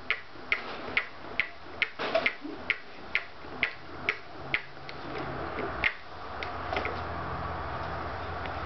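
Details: Scotts steering damper on a motorcycle gives sharp creaky clicks about twice a second when the bars are forced against it. It happens only at higher damper settings, and the owner feels clicking as if something may be binding.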